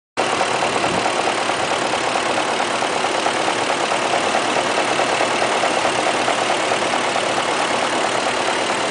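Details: 2003 BMW 540iT, M62TU V8, 170K miles, at idle after replacement of the valley pan, valve cover and timing cover gaskets, CCV, water pump, plugs and chain tensioner: a fast light tacka-tacka tick near the valve covers, louder than before. Cause unclear.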